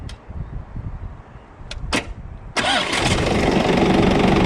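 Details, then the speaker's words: 6x6 Land Rover Perentie ambulance diesel, with the fuel pump servo on and in neutral, started by bridging a suspected failing start solenoid with a screwdriver. A couple of short cranking bursts, then it catches and settles into a steady, even idle; a clean start. "Just managed to start it with a trusty screwdriver across the start solenoid"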